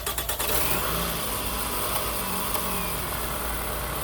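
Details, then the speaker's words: 2006 Toyota Camry XV30 after replacing faulty ignition coil pack: starts and settles to a steady even idle with no stumble or shake, all cylinders firing cleanly, running smooth. "right and there you have it you've seen it cylinder the cylinder is firing properly again the car is running nice and smooth that's simple that easy"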